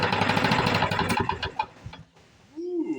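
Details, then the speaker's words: 1977 Ryan commercial bricktop mower (Lawn-Boy), first start after decades in storage, primed: fires and chugs unevenly for under two seconds and won't gain RPM; owner suspects fuel system. "and we're not we're not getting enough RPMs out of it so I guess maybe it's time for a fuel system"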